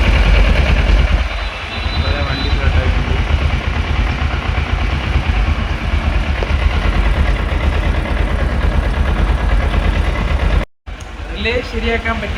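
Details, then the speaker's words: 2011 Kawasaki ER-6F (Ninja 650R) that wouldn't start after sitting a month. It starts, though a small loose connection remains. Steady low idle with a deep, even drone and no misses or knocks; running normally. "ഒരു ചെറിയ loose connection ഉണ്ട് അപ്പൊ വണ്ടി start ആയി"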